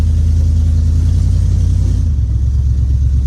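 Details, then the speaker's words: 1970 Dodge Challenger accelerating after a carburetor adjustment; misfire declared fixed, large coolant leak seen afterward. Deep even exhaust rumble pulls cleanly through the rev rise, no stumbles; healthy acceleration with plenty of kick. "She does have a lot of kick in her."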